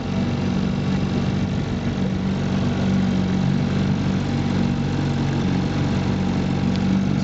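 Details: 1958 Johnson CD-15 5.5 hp 8.84 cu in two-cylinder outboard on a pressure-tank fuel system, restored with new coils, carb kit, fuel lines and impeller; a steady, even two-stroke drone with no stumbles or misfires. Normal running.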